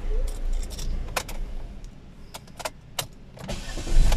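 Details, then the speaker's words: Chevrolet Spark after repair of overheating with oil and water mixing in the radiator, temporary water coolant, A/C off: brief crank, catches first try and settles to steady low idle, no sign of overheating; normal engine start. "Ayun, one click. Okay siya, hindi siya wala siyang bakas ng pagka-overheat kasi one click siya."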